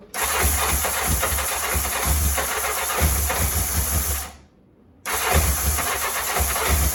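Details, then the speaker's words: 1984 Honda CBX750 after engine repair and refit, first run on booster pack, weak battery: fires straight into busy even idle, shuts off briefly, restarts right away and runs smoothly; healthy hot start. "he beautiful my bad for first run I will take that all day long this is a hot start very happy"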